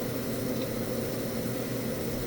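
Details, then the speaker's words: FSP 300W PC power supply after six secondary output capacitors were replaced, having earlier sounded like a cicada; soft steady hum and hiss with a faint squeal from the primary transistors, normal switching power supply operation, though voltages and noise still misbehave. "you may hear a little bit of a little bit of a squeal there but that's actually i said that's typically normal for switching power supplies to emit just a tad bit of noise especially from the primary transistors"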